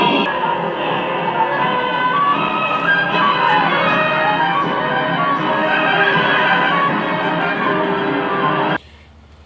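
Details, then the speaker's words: Sharp PF-116 five-tube AM Pagoda radio (Hayakawa Denki), IF unaligned, playing music: clean and full with no hum or crackle, going quiet when switched off; healthy. "Sounds damn good for one of these radios. I mean, the no noise, it sounds good. I mean, you can tell when this music breaks down and there's just no background noise. It's clean."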